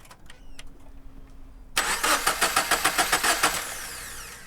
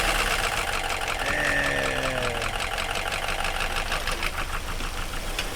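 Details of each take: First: FR-S with freshly swapped spare FA20 engine, first start attempt; quick, even cranking pulses, about three or four a second, never catching; cranks but won't start, fuel system still needs priming. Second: FR-S with freshly swapped spare FA20 engine, first start after priming; cranks, catches and settles into a steady, even idle with no knock or misfire; swap runs fine.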